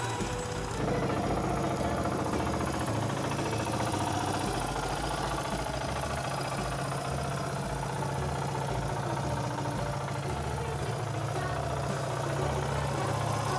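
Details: Suzuki DR350S first start after engine rebuild: steady, even single-cylinder thumping at idle with no knocking or rattles. Normal, healthy idle.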